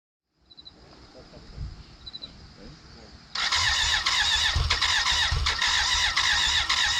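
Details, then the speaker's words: 1991 BMW K100 LT, 987cc four-cylinder fuel-injected, left sitting outside about 10 years. Crank no start: steady, even cranking but it never fires. Causes found: a sticking valve with dirt in cylinder one's intake. "hey this is ben from the present we cranked on and off over the course of an hour it almost wanted to start"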